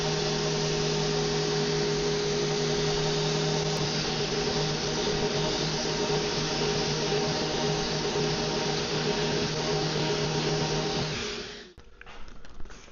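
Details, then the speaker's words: Vevor random orbital sander fitted with its 6-inch pad and the included sandpaper; balance much better than its 5-inch pad. Steady, even whir for about eleven seconds, then switched off, without wobble; normal running. "All right, well, that was the sanding experience that I was really hoping for from the 5-inch sanding pad."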